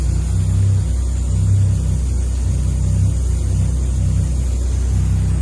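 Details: Toyota Chaser 1JZ-GTE VVTi, stood five years, push-button start, idling: loud, steady deep rumble with a raw, boomy exhaust note, no engine knocks or bangs; exhaust issue suspected, source not pinned down.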